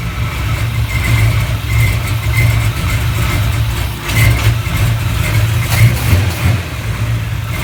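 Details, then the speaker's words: 1970 Chevelle V8 on an old GM points distributor with plugs gapped at .045 instead of .035: very slow, lumpy, loping idle with uneven surges, owner estimates 350–400 rpm though tach read high; rough slow idle, cause suspected, not confirmed. "remember how I said that I didn't have the spark plugs gapped at 35 I have them gapped at 45 and the tack was reading extra high this engine was probably running a 350 400 RPM real real slow"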